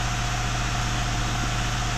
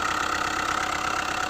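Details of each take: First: Hyundai i20 diesel, after connecting-rod bearing replacement, held near 2000 rpm to clean injectors then idling, air filter removed: steady even clatter with loud intake hiss, firing smooth; normal idle. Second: Hyundai i20 at idle, tappet cover open: fast regular tapping knock over the engine, source unclear; connecting rod bearings were already replaced elsewhere but noise persists and rises sharply with slight throttle. Engine knocking.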